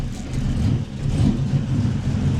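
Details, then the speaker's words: 1999 Chevy Silverado 1500, cold start; idle lopes and stumbles, rising and sagging every half second or so, rough only when cold; owner suspects a vacuum leak from the factory plastic intake gaskets, to be replaced with metal ones. "i want to happen when they get cold as soon as you crank up this will happen rough rough ass item"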